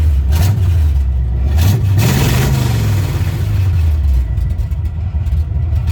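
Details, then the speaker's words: 1970 Chevy C10 truck, first drive attempt after sitting many years: engine catches, surges once, then sags and labours unevenly toward dying despite gas poured into the carb; fuel starvation, no fuel reaching the filter, traced to a clogged gas tank. "still don't feel in the filter could dump some more gas in the car hopefully he picks it up well after about something for a little while I figured out that the gas tank was clogged"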